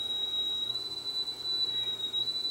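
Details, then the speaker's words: Sony TC730 reel-to-reel, 7.5 speed control being calibrated at about 3.86 kHz: the steady test tone wobbles in pitch when the board is pressed, a bad servo board connection; the reference voltage may also be slightly off. "I got bad connection on here hear that the control that could be the reference voltage is a little bit off too"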